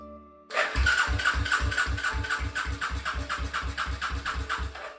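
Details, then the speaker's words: 1995 Suzuki LS650 Savage chopper, first start attempt: starter turns the single over at an even four-per-second chug, never firing; spark is bright and blue, owner suspects fuel not flowing (old cracked vacuum petcock hose). "the spark is bright and blue it must be the fuel that isn't flowing through"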